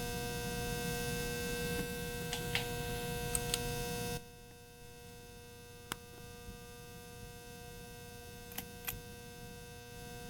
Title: Ceiling Fan loud Noise